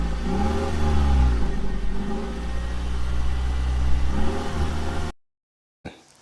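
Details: 2006 Dodge Charger 5.7L Hemi V8 stalling and surging, worse cold, cuts out warm; new throttle body, pedal sensor and ECU didn't help: revs climb late and sag after throttle opens, which fits a failing ignition coil.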